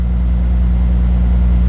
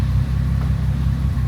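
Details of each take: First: 2005 Bentley Continental GT with a cold engine and the EVAP system disconnected: smooth, steady hum at a slightly raised warm-up idle, sounding better than before, though misfire codes remain. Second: 2005 Bentley Continental GT during a post-fire rebuild, after two broken 10A fuses were found: a deep idle with an uneven, stumbling beat and dips, multiple misfires. A cylinder 3 injection circuit fault is stored.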